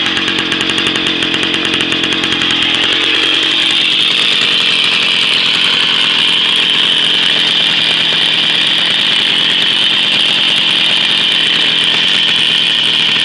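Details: Jawa 50 type 05 moped, 1966 two-stroke engine, very first start after 20-year storage, rebuild and assembly, no cold break-in, original contact-breaker ignition and never-replaced coil; high buzzy even whine without cutting out, runs steadily: normal running.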